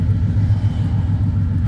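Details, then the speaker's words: BMW E36 with swapped rebuilt aluminum 5.7 LS1 V8, after the exhaust leak was fixed: a deep, steady rumble with an even pulse and no ticking or puffing, exhaust now sealed. "but yeah there's no more exhaust leak that's the end of that"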